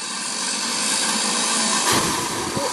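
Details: Refurbished blower fan from a Flathead Ford project, motor wiring repaired, positive ground, bench-run: steady airy rush over a faint motor hum, even and rattle-free; sounds like brand new.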